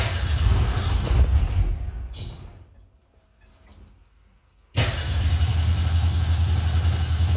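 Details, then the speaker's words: 1963 Falcon, turbo 2.3L, aftermarket throttle body: runs, goes quiet, restarts into a slow, deep, lazy idle. Idle too low, IAC at 40%; owner suspects changed parameters and plans to refit the throttle stop. "well it's definitely lower too low i think i changed some uh parameters in there i have to go back and uh double check them"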